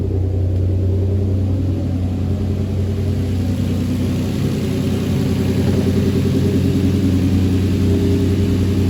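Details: Engine running after swapping in Nissan GTR iridium spark plugs on a tuned 7th-gen Nissan Maxima with 6-speed manual swap: deep even hum with smooth steady pulse, no misses, ticks or knocks; running cleanly.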